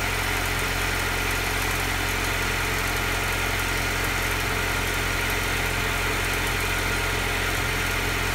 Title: Alfa Giulia cold start rough idle